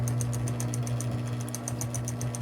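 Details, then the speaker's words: Smith Corona Coronet Electric 12 portable typewriter switched on: steady low motor hum with a light even tick about eight times a second; the belt-drive pulley wobbles and makes the sound, belts good, possibly needs a tune-up. "So that's what drives the belt. So the belts are good and stuff like that, but that's kind of wobbling and kind of making the sound there."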